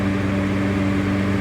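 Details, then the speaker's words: HVAC exhaust fan running under belt load after a new motor replaced the worn old one. Steady, even hum with a constant low drone, no squeal, rattle or wobble; running right. "That is how an exhaust fan is supposed to sound."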